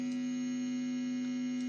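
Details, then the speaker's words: Squier Stratocaster electric guitar with strings detuned, plugged in and switched on: loud, steady, fixed-pitch low buzz drones with no playing. Excessive hum; input jack contact checked and fine, so pickguard and wiring to be removed. Cause not yet found. "Very noisy."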